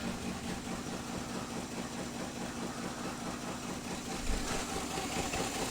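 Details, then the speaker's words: Nissan Z31 during coolant pressure and compression leak testing: uneven, stumbling idle with irregular lumpy pulses, not firing properly; cylinder misfire because spark plug wires for cylinders four and six were swapped, fixed by swapping them back. "not firing oh my god that'll make it easy to work on this thing idiot you got the wires mixed up i got four and six spark plug wires mixed up"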